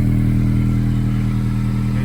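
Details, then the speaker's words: 2007-2011 Honda CR-V at idle, recorded under the car before repair. Loud, low, rapid puffing, a flat raspy blat from the rotted pipe. Exhaust leak through a rotted-through resonator in an aftermarket cat-back exhaust. "Here's the farting problem. It's all rotted through."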